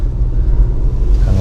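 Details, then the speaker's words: Ford Bronco with its Fox 3.0 shocks swapped back to the factory shocks: a low, even road rumble over the bump with no knock or clunk. This points the earlier noise to the Fox shocks themselves. "现在换了原厂的避震了，完全没有任何的异响。"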